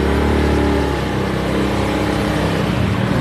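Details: Honda Beat scooter with complaint of weak climbing power, fuel pump checked normal and injector suspected: steady full engine note at even pitch, no knocks, rattles or misses; sounds normal during simple test.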